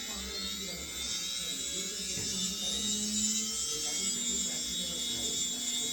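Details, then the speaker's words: Newly assembled drone's brushless motor, spun without propellers at full throttle after ESC calibration: steady high-pitched whine with no roughness or stutter; normal, motor delivering full power correctly. "as you can see with the Full Throttle uh we can receive the full power of our motor too so it's working correctly"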